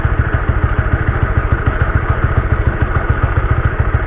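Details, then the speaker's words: Honda CB150R: rough, rattly drive chain clatter over a steady low engine thump, before cleaning the dirty stock sprocket/chain; cause suspected, not confirmed. "Jadi awalnya suara rantai gua tuh kasar guys."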